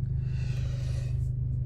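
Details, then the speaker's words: 6 GTI, warm after a drive with full-load runs, following a timing check, oil pump replacement and cam phaser control fix: smooth, low, even idle with no hunting or surging, zero fault codes; normal. "Donc là, je suis revenu de ma petite vadrouille, donc tu vois, le régime moteur, il est magnifique. Il n'y a plus de saut, il n'y a plus rien. Impeccable."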